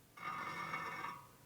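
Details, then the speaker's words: 1999 80ci Evo rigid chopper wheel, spokes tapped in turn near the rim's worst drag spot: clear pings of differing pitch, a couple duller and lower. Those spokes need tightening, or the tight one loosening, to true the rubbing wheel. "So this one here either needs to loosen up or these two need to get tight. Those do not want to really move."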